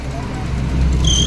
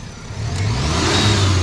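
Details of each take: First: Maruti Omni idling in cold weather: steady idle, then short high-pitched squeal when headlights switch on loading the alternator; fan/alternator belt slipping under electrical load, quiet with lights off even when revved. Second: Maruti Omni after fixing fan belt chirp/squeal (worse in winter, with headlights on): engine revved up and down twice with headlights off and on, smooth rise and fall, no chirp or squeal; belt quiet.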